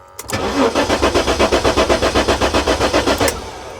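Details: 1994 Jaguar XJ6 stored for several months, originally a crank-no-start: starter cranks evenly for about three seconds but the engine never catches; a 7 V drop on the EMS relay feed was found and the relay is warm, so it is suspected.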